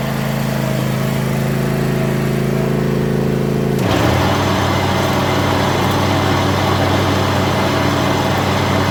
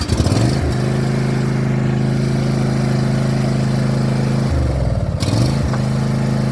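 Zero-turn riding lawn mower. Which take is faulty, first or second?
second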